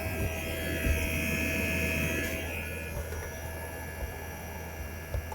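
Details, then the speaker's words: 2008 Mercedes CL63 AMG (C216) dynamic seat air pump, new pump run on active test, heard from the trunk: steady low electric hum with no rattle; pump runs, but pressure only reaches about 240, far below expected. "Okay, well, the pump's working, but I don't know if it's if it's building pressure, cuz you see the pressure drops back down there."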